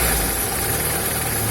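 A petrol car idles smoothly and evenly, with a steady low hum and no rattle or vibration underneath.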